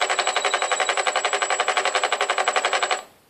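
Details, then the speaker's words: Skyartec Cessna 182 RC plane brushless electric motor on throttle: rapid even clatter of about ten pulses a second for three seconds, then it stops. The motor stutters and won't spin up. "but when you turn on the throttle makes that noise and then just stops"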